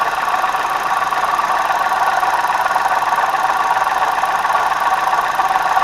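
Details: 2009 Hyundai i20 petrol at idle before water pump replacement: a steady rough clatter, two or three pulses a second, first thought to be camshaft, timing belt, oil pump or lifters. The cause was a faulty water pump bearing.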